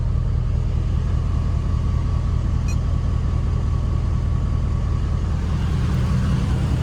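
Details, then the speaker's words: Ford 6.7 Powerstroke diesel just after CAT oil filter conversion, fuel filter conversion and fresh oil change (about 14 quarts): steady even low rumble at idle, no clickety-clack or ticking; normal idle. "no clickety-clack like I hear a bunch of people saying that they get smooth real smooth it's at 5W30"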